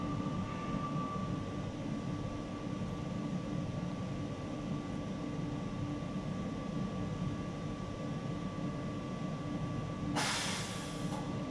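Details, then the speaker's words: MAN TGA/TGM/TGS/TGX truck idling during a service-due reset with Texa IDC5 diagnostics: a steady low idle, then a short, sharp air hiss, the pneumatic valve puff confirming the reset, normal. "aude la camion confirmarea prin acel pufăit de supape."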